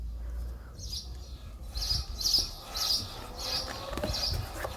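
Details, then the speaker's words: Mercedes W202 front driver-side wheel turning: sharp high brake chirps/squeal about twice a second, before repair. "سمعوا نزيد ندور الرويضه احنا ان هذا المشكل هذا في الرويضه ديال القدام في هذا المرسيدس في الجهه ديال الشيفور"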